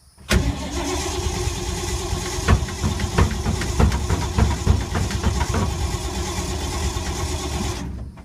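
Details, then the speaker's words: 1952 Ford unstarted for months, owner thinks he flooded it: long steady cranking at a slow uneven beat with a few sputters, never catches; cranks, won't start, cause suspected not confirmed. "It's not cooperating with me a lot. This could be an epic fail video."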